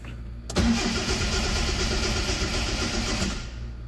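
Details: 2002 Hyundai Accent injector-type engine: a few seconds of steady cranking with no firing; codes P0261/P0264/P0267/P0270 injector circuits low, P0562 system voltage low, fuel pump circuit; no ignition feed to ECU fuses.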